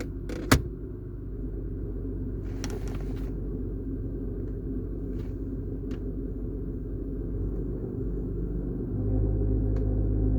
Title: Loose rumbling noise on cold start since drive belt replacement.